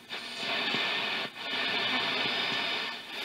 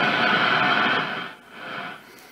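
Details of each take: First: Zenith Trans-Oceanic R600 tube radio during recapping and FILT-R-PAK power supply install, played with no antenna connected: thin hissy broadcast fading under heavy static; weak reception without antenna. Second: Zenith Trans-Oceanic R600 shortwave radio after FILT-R-PAK 60+ power supply install and full recap (15 capacitors), before alignment: French AM amateurs on 80 m band just below 3.8 MHz, clear hiss, no hum or crackle; normal reception.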